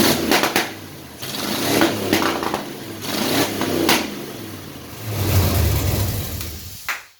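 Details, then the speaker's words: LS V8 swapped into a Datsun 620, on open headers. Loud surging in uneven bursts with a lumpy, stumbling beat between revs; it was firing on only seven of eight cylinders. "That was only on 7. Oh, that wasn't even all 8 cylinders?"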